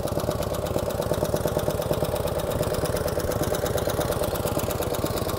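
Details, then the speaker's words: 1949 Harley-Davidson Hydra Glide V-twin, cold start: fast fairly even light ticking over the lope from the upper end, mainly rear cylinder, easing as oil reaches the top; suspected solid lifters, pushrods to be adjusted; valve train tapping. "a little bit of tapping noise out of the upper pans we're going to go ahead and adjust the pushrods sounds like it has solids in it"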